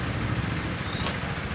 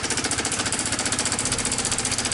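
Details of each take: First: 2017 Honda Sonic after repair of rough ticking noise traced to the automatic cam chain tensioner: low, even idle putter with no ticking or rattle from the top end; running smooth again. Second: 2017 Honda Sonic, never run low on oil, at idle: fast, harsh metallic clatter over the idle that stops at shutdown; loose cam chain suspected, not yet confirmed; cam chain tensioner rattle.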